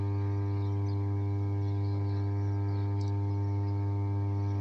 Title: Switchyard of "33/11 KV SUBSTATION" with 5MVA transformer humming sound